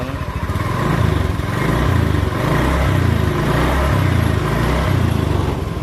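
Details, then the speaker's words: Honda Beat with a CKP-sensor starter, MIL code 52, after the starter only clicked: catches at once and settles into a steady, even idle with no clicking; normal start and idle. "Iya sekarang Coba tes hidupkan kita kontak Iya jadi udah hidup tu"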